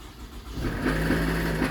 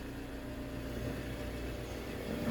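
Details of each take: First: Toyota Alphard ANH20 started up: a harsh, coarse run with a rough drone. The initial diagnosis is a likely broken balancer shaft gear whose fragments block the oil strainer and hamper oil circulation. The balancer shaft, oil and filter are to be replaced. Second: Toyota Alphard ANH20, high mileage, after balancer shaft replacement and oil and filter change: quiet smooth idle; earlier rough noise blamed on poor oil circulation to the cylinder head camshaft.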